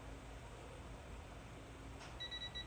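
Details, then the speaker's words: Torque wrench, set to 10 while torquing cylinder heads on a 2018 Hustler Raptor SD's Kawasaki FR691V: quiet workshop, then one short high-pitched beep, the wrench's low-battery warning. "he trying to tell me the damn batter's [Music] low"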